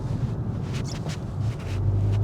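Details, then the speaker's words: Modified 2018 Golf 7.5 GTI on KW coilovers set full soft on compression, after strut fix, rolling over a rough concrete driveway that previously caused clonks: low even road rumble, no knocks or clunks; suspension sounds tight and quiet. "Okay, we're getting some proper body movement now. That's a bit of a, nope, nothing."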